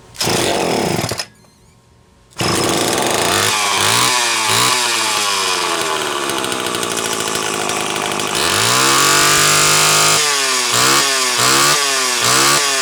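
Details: Homelite XL-12 chainsaw that a shop blamed on low compression; test run after a failing condenser was replaced. Fires and revs cleanly up and down, pitch rising and falling crisply with no stumble; runs healthy.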